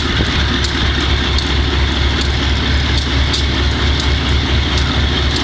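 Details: Wimpy Mtl B30-7 locomotive diesel with bad injectors; heavy rumble with uneven, lopsided pulsing about twice a second from misfire. Repairs included air intake, some injectors replaced, valves checked.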